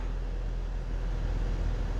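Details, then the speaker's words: 2016 Ford Transit Connect 2.5L Duratec four-cylinder started after new spark plugs: a steady, low, even idle with no stumble and no flashing check engine light; it runs smoothly on all cylinders. "engine idle sounds good not seeing any misfire lights"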